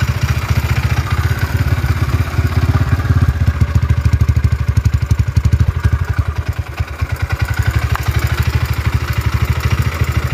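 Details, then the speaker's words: Honda GL motorcycle engine, rebuilt before with a CBR piston that scored within a month: rough idle with steady low thump and light even clatter, tensioner suspected; idle surges up and down on its own, source unconfirmed. "suarane wis kasar suaranya kemerap ya kabeh terus tensuner"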